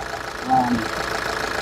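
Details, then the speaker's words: Nissan Urvan E25 ZD30 diesel, somewhat old, after overhaul, idling with air-con on and compressor running, no vapour from breather, no black smoke: steady even idle with compressor cycling underneath, no knocks or misses; normal idle. "Oke, steady engine dia. Steady. So, tiada uap daripada sana, tiada uap daripada breeder, cantik, tiada asap hitam."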